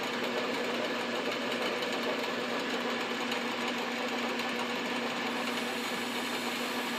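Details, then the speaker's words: South Bend 9x24 lathe turning its own pulley, cooled and locked back onto the arbor so it no longer slips on the shaft: steady mid-pitched hum and light whir, no slapping; normal running. "that's so much better when it's not moving and slipping on the shaft"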